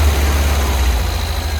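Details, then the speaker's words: 1971 VW Squareback fuel-injected air-cooled engine after jumping the fuel injectors: deep idle swelling and sagging, revs wandering up and down; hunting idle, owner suspects a bad distributor. "But I definitely think jumping the fuel injectors, and you see how it kind of idles up and down."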